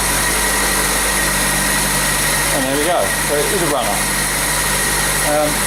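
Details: Herald engine firing up after a new fuel pump's diaphragm-flange leak was sealed: steady, even idle with no misses, knocks or ticks; it sounds healthy.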